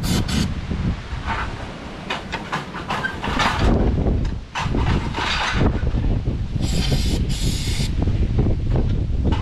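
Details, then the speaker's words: 1930 Ford Model AA doodlebug four-cylinder, abandoned in woods 72 years, first run on starting fluid: rough low chuffing with hissy bursts as it runs on its own; now running steadily, sounds real good. "we got the old doodlebug up and running after she'd been abandoned in the woods for 72 years she runs like the day she was parked she sounds real good"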